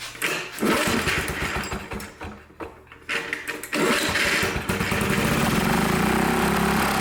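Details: Old Lawn-Boy Loafer dual-engine rider, front mower two-stroke engine after carburetor work, dripping fuel: a few sputtering catches, then it settles into a fast, steady two-stroke popping.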